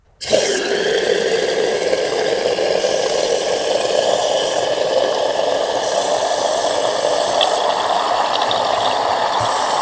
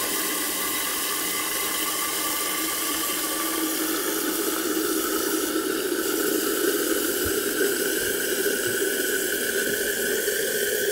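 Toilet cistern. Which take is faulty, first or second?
first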